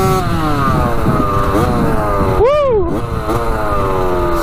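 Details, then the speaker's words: Rebuilt 1985 Yamaha YZ80 two-stroke on a warm test ride: sharp buzz climbs and drops cleanly through the gears, crisp on and off throttle. Smoking out the back, silencer not working too great; sounding good. "good doesn't it she's a little ripper sounds so good yeah she's sounding pretty good"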